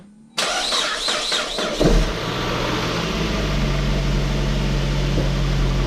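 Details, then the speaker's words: Saab 9-5 Aero that sat on a farm for two years, started after sump work with fresh oil: cranks briefly, catches cleanly and settles into a steady, even idle with no knocks or misses; normal start and idle. Some smoking is expected afterward. "Sounds really good."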